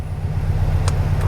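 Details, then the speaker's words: 1969 VW Beetle just revived, warm after first drive, hot start: flat-four idles with steady, even low chuff, no knocks or misses; oil pressure about 10 on gauge; sounds healthy. "I mean, we drove. We know it's warm. Sounds good."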